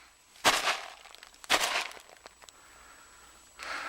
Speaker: See if you can hear this debris rattle around in the duck